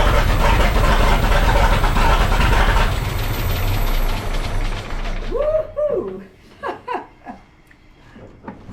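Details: 1912 Seagrave with large Wisconsin T-head engine, first run in years after replacing a failed condenser and fixing starter, fuel and ignition: deep steady low rumble running evenly for several seconds before shutdown; normal running, kept brief because there was no coolant.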